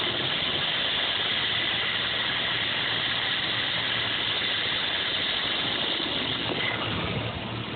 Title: 87 Cherokee/Wagoneer limited rough idle